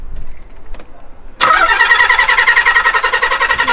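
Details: 300bhp garage find unused for 14 years: starter whirs steadily at about 3.5 turns a second with even compression pulses but never catches; crank no start, owners suspect fuel cut by aftermarket immobiliser (flashing red light) or bad old fuel.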